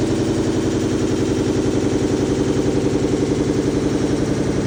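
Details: Samsung front-load washer in final spin: loud steady roar with fast rhythmic rattle, about four beats a second, from failing rear drum bearing, which also scrapes and shreds the front door seal.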